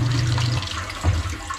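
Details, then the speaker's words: Everbilt HDS50 1/2 HP replacement submersible ejector pump; the float sometimes sticks because the pump sits unlevel: low motor hum over splashing water, then a clean shut-off. Normal pump cycling. "it turned off everything's okay"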